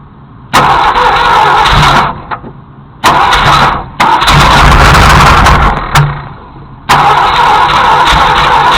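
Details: Junkyard Ford Galaxie 390 four-barrel V8, freed from seizure with transmission fluid and acetone: fires in ragged bursts about every two seconds on sprayed fuel, catching and dying back; runs roughly, won't keep going.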